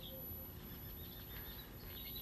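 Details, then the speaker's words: 1977 Sony Trinitron KV-1541 color TV, horizontal output stage driven on test with substitute transistor: thin steady high-pitched whistle over faint room noise; squealing, lower peak-to-peak, stage does not like the fitted transistor. "it doesn't appear to the peak to peak is lower and uh the frequency i can hear it squealing"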